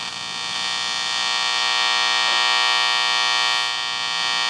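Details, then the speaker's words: Capehart T-54 tube radio, old mica capacitors partly replaced: steady loud hum with a high whine while tuning across the middle of the dial, still crackly; cause not confirmed. "loud hum in the middle here i imagine that'll need some kind of a lining when we're done here"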